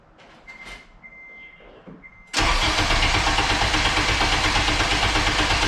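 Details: 8th-gen Honda Civic Si after the subframe was refitted: a couple of chimes, then the starter catches cleanly and the engine settles into a steady, even idle. A weird starting issue cleared after wires were unplugged and replugged. Starts normally.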